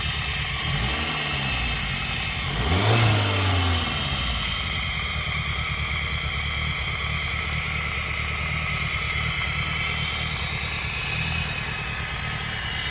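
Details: Peugeot 106 engine: idles, then revs briefly and settles, with a rough irregular beat around three per second over the hum; cause unclear.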